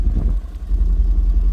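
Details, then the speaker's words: 2000 BMW M5 E39 V8 with 340k miles, multiple mixed clamped-on exhaust sections; deep lumpy idle with ragged puffing rumble and uneven pulses around mufflers and resonator: exhaust leak. "the car has a few exhaust leaks because this car has like six different versions of an exhaust and like some clamped on so whoever had it last did some janky work and that's just something that I'm pointing out"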